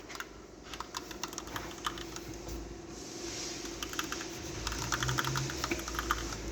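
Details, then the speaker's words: Car front wheel turned by hand, noise reported as transmission clunking while driving: uneven light clicks, a few per second, on the right side only, left fine, no wheel bearing rumble; worn inner CV tripod joint. "Şimdi biz tekeri çevirdiğimizde tekerlerde bir sıkıntı yok sol tarafa ama sağ tarafı çevirdiğimiz zaman sesi duyuyor"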